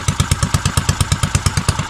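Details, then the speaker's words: Custom Motovox mini bike with a cam, just revived after clearing old gas from the carburetor: fast, even thumping idle at about nine beats a second, slightly choppy cam note. Normal idle. "Ooh, y'all hear that cam, gang? Y'all hear that cam?"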